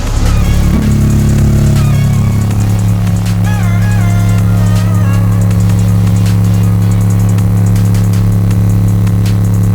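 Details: Subwoofer playing a test tone around 29–35 Hz, where the box flexes: loud, deep bass with a dry, buzzy rattle from a loose enclosure panel.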